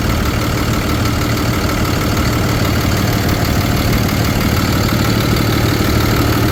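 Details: 2013 Ford F-750 Altec bucket truck, 6.7L Cummins turbo diesel, automatic, 72,000 miles, fleet maintained, no check engine lights. Right after start-up it holds a steady, even diesel clatter at idle with no skips, misfiring or smoke. Healthy.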